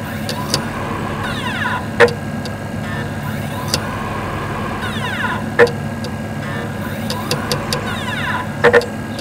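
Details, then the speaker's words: Xbox 360 Slim, Hitachi-LG DL10N DVD drive trying to read a Skyrim disc, camera on top of the console: sharp irregular clicks over steady fan hum; laser focus clicking from a dead optical pickup. "And I'll try and enhance the audio so you can hear that clicking sound, because that clicking sound is very, very important. It's a way you diagnose a dead optical pickup."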